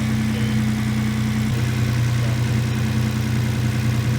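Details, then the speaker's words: 2011 Hyundai Genesis Coupe after engine replacement for low compression, just started, cold with upper hose ice cold; even low rumble, steady beat, no misfire or knocking; runs very smooth, burning oil smell. "But it does run very smooth. Yes, it does. I didn't see anything leaking."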